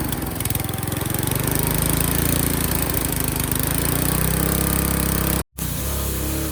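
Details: Qualcast Classic Petrol 35S cylinder mower, free roadside find, after fitting a cheap Chinese replacement carburettor and opening the main jet: steady low thumping with an uneven, lumpy beat and a brief dropout near the end; runs but a bit rough.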